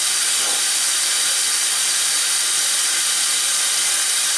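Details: Kitchen sink drain with no proper vent gives a loud, steady airy hiss and suck as it drains; the drain pulls air through the trap, siphoning it.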